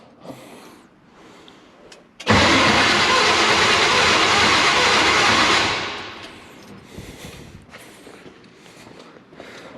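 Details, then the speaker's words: 1975 Chevrolet K10 square-body four-wheel-drive pickup after sitting 18 years; about three seconds of steady cranking that never fires, no fuel reaching carburetor, tank suspected empty; crank no-start, no fuel delivery. "see if there's any fuel out no okay let's get some i see some carb clean right uh i think she's plum empty"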